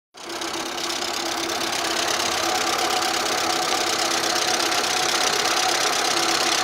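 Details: Audi 80 B3 at idle: fast, fairly even ticking about three per second over steady idle; hydraulic lifters tapping, suspected clogged.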